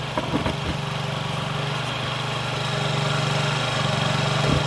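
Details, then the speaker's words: Honda Ruckus NPS50 2017 50cc four-stroke scooter: fast, busy idle with a quick even patter that never settles; inductive tachometer shows about 1980 RPM, near 3000, far too high before adjusting the idle screw. "s is my idle speed it's obviously way too high this is why attack Elementary is so important because I never would have known it was actually almost 3 000 RPMs idly no no which is insanely high"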